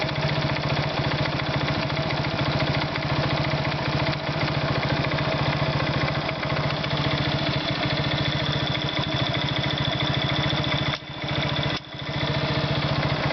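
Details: Irbis Virago 110 motorcycle idling: a fast, even tapping rides over the small single-cylinder exhaust beat. An engine knock, cause not pinned down.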